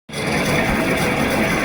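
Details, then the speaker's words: Window AC fan motor: rough, steady roar with a gritty rumble underneath, the noise of motor bearings that are worn, broken or out of grease; such a motor can overheat and trip. "तो यह आवाज आती है जब हमारी motor के जो bearing होते हैं वो खराब हो जाते हैं या टूट जाते हैं या फिर वो उनकी ग्रीस खत्म हो जाती है"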